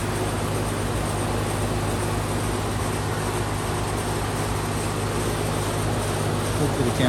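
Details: Outdoor central AC unit: steady low compressor hum with fan rush, no knocking or rattling; running normally.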